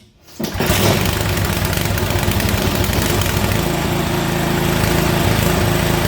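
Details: Toro snowblower small engine after carburetor cleaning: fires quickly, then settles into a steady, even, fast putter. Runs properly.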